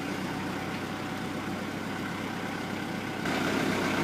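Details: Ford Ranger diesel cold start on a frosty November morning, the coldest since ownership: a steady, even diesel clatter at idle with no misses or knocks; healthy for a cold engine.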